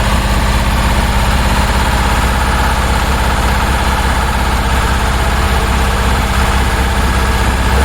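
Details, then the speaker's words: 1966 Porsche 912 cold start at about 60°F, idling high and burning oil, throttle flipped before timing check: heavy, uneven idle with deep lumpy chuffing about three beats a second; two cylinders not firing, dirty carb suspected. "I pulled the uh each one just to see the RPM drop and one and two equal drop three and four no drop at all um because three and four weren't firing"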